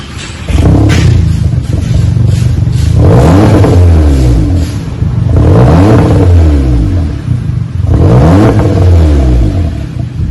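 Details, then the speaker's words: 2015 VW GTI 4-cylinder turbo with rear mufflers and mid resonator removed, Y pipe to 2.5-inch dual pipes: three clean rev blips with a deep, loud, open rumble and no rattles. "Give it a little rumble to it, and to get a little more sound out of it, took the mid resonator muffler off of it. That big resonator sucks a lot of sound out of it. Should give it some sound."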